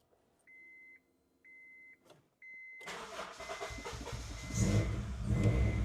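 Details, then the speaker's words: Honda CR-V with new fuel pump, original bolt back in after pressure gauge removed: cranks, catches but runs lumpy, surging and dipping, near stalling; still bad misfire, no check engine light, fuel pressure low. "Okay, can't even keep it running now. I don't know what PSI we got to. All right, so car's running right now. It's running its own power. It's still missing. I can hear it pretty bad."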